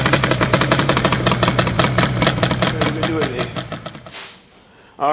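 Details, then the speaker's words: Yamaha Banshee two-stroke, engine with four years on it, throttle snapped and dropped: sharp crackling blips with crisp pickup and clean fall back; engine sounds strong and healthy. "this engine here has got four four years on it and she still sounds great"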